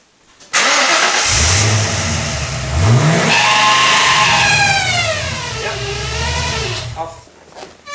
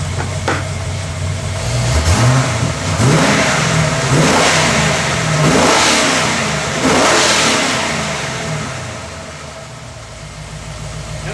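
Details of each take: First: Ford AU Falcon XR8 V8 starting and revving, high squeal rising and falling with engine speed, worse above about 2,000 rpm, persisting after a new tensioner pulley; not the belt, found to be the camshaft position sensor, fix suspected as a drop of oil. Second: Ford AU Falcon XR8 V8 after tensioner pulley replacement failed to stop a belt squeal above about 2,000 rpm; firm revs now clean with no squeal, fixed by a drop of oil on the camshaft timer.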